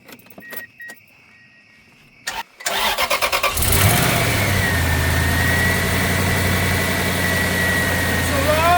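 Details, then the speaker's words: Broken-timing-belt Toyota Tundra (interference engine), first start after repair, not run since last December, no radiator fitted: cranks briefly, catches quickly, steady even idle, no knock or tick, something still slightly missing; normal start and idle. "oh it sounds great something still missing but no knocking ticking I mean no cooling system but no knocking ticking"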